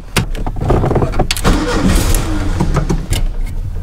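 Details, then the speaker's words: 2013 Jeep Wrangler Unlimited, horrible grinding after idler pulley replacement failed to fix it: harsh metallic grinding through cranking before the engine catches; starter gear not meshing cleanly, fixed by replacing the starter. "I do have a little bit of hope though maybe just maybe if we're very lucky might have been the starter starter goes right into the bell housing a little starter motor wheel gear maybe it's not popping down a"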